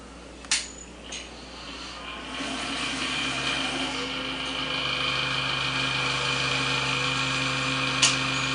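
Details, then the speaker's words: Custom PC water-cooling loop during first fill, case tilted: steady whirring drone with buzzy rattle on top; rattle is the front case fan, not the pump running dry. "oh let me get that fan clogged that's the fan making all that noise not the problem now he still needs a little more"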